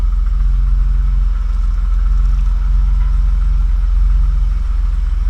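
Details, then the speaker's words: 1985 BMW 635CSI six-cylinder idling while being driven slowly toward the lift, after alternator field wire work so it now charges: a smooth, even low rumble with no knocks, misses or whine. Normal idle. "the power steering is working all right it's off we go [Music] this one's fairly big too a nice sounding car this thing"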